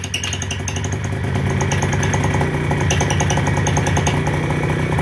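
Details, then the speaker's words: Fresh Breeze paramotor, 312 cc two-stroke, running at idle: steady low, even putter of about three firing beats a second with no misses or knocks, quiet enough to talk over. Normal clean idle. "And the Fresh Breezes are pretty quiet. And even at idle, you can hear me talking, I'm sure."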